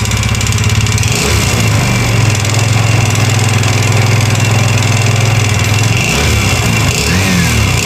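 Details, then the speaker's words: Yamaha Xeon GT 125 FI scooter with radiator coolant leaking into the oil, front pulley and roller housing off for the test: rough knocking through idle and blip; mechanic says engine noise, con rod or piston pin. "bisa didengar suaranya ya dari saya pastikan memang suara bagian mesin ya bisa bagian suara stang atau pen piston ya karena dia ada kebocoran apa radiator"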